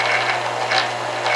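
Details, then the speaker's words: Staples SPL-TXC18A shredder after restoring its motor start-run capacitor: steady motor hum with even gear whirr and light ticking, no grinding or catching; gear train running normally. "the gears are turning and the motors turning and that looks good"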